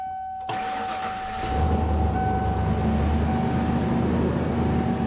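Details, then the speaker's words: 1994 Ford Econoline E150 van after new belt and fixed leaking heater hose connector: brief crank, immediate catch and steady idle with no belt squeal; starts right up, no misfire. "so that took care of our coolant leak we also took care of our squealing noise on the belt it really didn't need anything else like i said when i drove it here it starts right up it drives perfectly"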